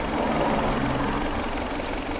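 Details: Changan Karvan that revved high and surged on its own with faulty electric chokes; after rpm set by throttle cable adjustment: even, steady idle hum, no hunting or surging, revs holding level.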